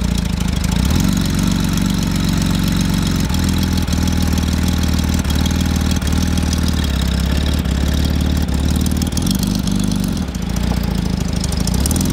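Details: 1977 Porsche 911 barn find, first run, idling while warming up and smoking heavily as oil burns off: loud, uneven idle with a lumpy beat about once a second; runs but rough, cause not confirmed.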